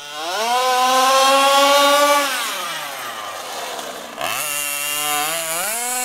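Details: HPI Baja SS rebuilt from an eBay junker, Zenoah G320 two-stroke with V2 Dominator pipe on 91-octane ethanol-free fuel with Bel-ray oil at 32:1, during high-speed needle tuning: sharp, buzzy wail climbs, drops and climbs again with throttle; slightly lean, later sorted.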